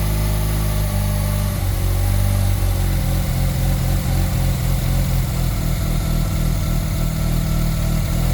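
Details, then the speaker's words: Mazda RX-7 Turbo II rotary after a mid-winter start from three months of storage, warm: fast idle around 1350–1400 rpm that drifts up and down and never settles; idle hunting, owner suspects an idle control device has failed. "See, now it's going to hunt a lot though. That's the problem with these things. Yeah, it's going to sound like that. And the idle's more correct, but do you see that hunting? I think this device is kaputs."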